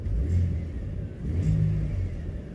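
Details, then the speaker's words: 2018 lifted Ford truck with 3.5 EcoBoost, running: two smooth throttle blips rise and fall cleanly, no rattle or tapping from the engine front, quiet and healthy. "hear me hit the gas quiet as a mouse right now just saying"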